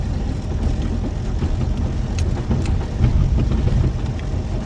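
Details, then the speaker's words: VW Baja Beetle on a test drive; rough low engine drone with scattered dull clunks from the rear as it moves, something loose at the rear end; steering a little tighter to the left. "Something's loose at the rear end. So a good amount of clunky clunk back there."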